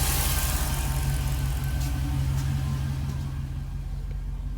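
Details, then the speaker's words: 2006 Jeep SRT8 6.1 Hemi, high mileage, after coils, plugs, rebuilt injectors and intake gaskets for P0305 cylinder 5 misfire; warm idle with 180 thermostat, steady even rumble, live data shows 0 misfires, though cylinder 5 coil burn times still odd. "We now have 0 misfires. The vehicle is nice and smooth. It is happy."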